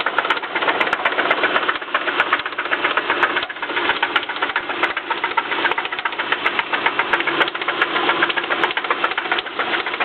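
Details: 2007 Subaru Impreza petrol engine, started and revved after a breakdown and tow: rapid, uneven knocking rattle over the usual clatter, present about a year, with a second knock/rattle added after the breakdown; cause unknown.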